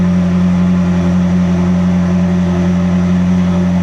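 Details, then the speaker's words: Ferrari 360 V8 at fast idle after re-timing exhaust cams, with intake cam assembly marks found one tooth (24°) off: strong steady hum, rock-solid pitch, no stumble or tapping; smoothest it has run since arriving. "Oh! That is the smoothest I can say safely that's ran since it's gotten here."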